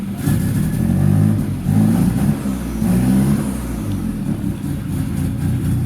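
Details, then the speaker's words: TC car, first start after fitting new spark plug wires: engine catches and revs cleanly with steady, even low rumble, no misfire or knock; normal healthy running. "Sounds good. Sounds really good."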